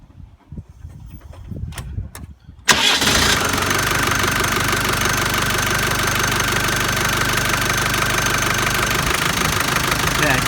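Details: Land Rover Defender reconditioned 300Tdi diesel, cold start after new oil pressure switch, oil and filter: hard even clatter over idle that goes away after a while; owner suspects oil pump, cause undetermined.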